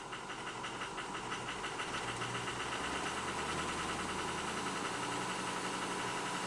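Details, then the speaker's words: 2005 Ford F250 6.0 Powerstroke diesel with rebuilt 190cc, 30%-over injectors and new turbo, running rough: idle with uneven stumbling knock about three a second; power balance shows cylinder 3 unhappy, 2 and 4 dropping out. Cause unconfirmed. "So you can see it's smoothing up. Number 3 is not happy."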